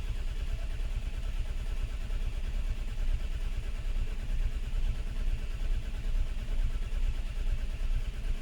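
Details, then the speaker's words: Mk4 Ford Fiesta unstarted for over four years, 12 V at coil but no spark: starter churns steadily at about two beats a second, never catching; crank sensor signal shows max 334 rpm with long gaps, failed crankshaft position sensor. "so what we can see there is the max RPM of the engine was 334 RPMs and we can see that there's quite a gap in between every sensor here there was nothing for ages nothing happened for quite a while"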